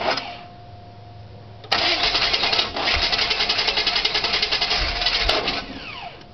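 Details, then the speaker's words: 1998 Chevy Silverado 350 Vortec, 145,000 miles, after replacing flywheel and starter (teeth ground): starter whirs, engine catches then runs unevenly with ragged pulsing beat and dies; intermittent hard start, cause unclear. "um like i said replace the flower places start it still sounds like sometimes it runs like sometimes it doesn't"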